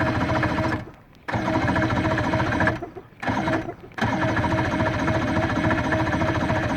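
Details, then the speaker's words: 115hp Johnson outboard that won't start, cause unknown; after getting it to turn a little, it gives uneven chugging at about three and a half beats a second that cuts out and resumes without firing. "Okay, so I got it to turn a little bit just now, but when I hit the twist, now this is what I'm getting."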